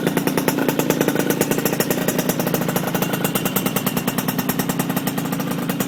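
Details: RS 80cc small single idling with a sharp, rapid puffing tick in time with firing pulses, near the port; exhaust leak.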